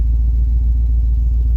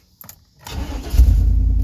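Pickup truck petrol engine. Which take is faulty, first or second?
first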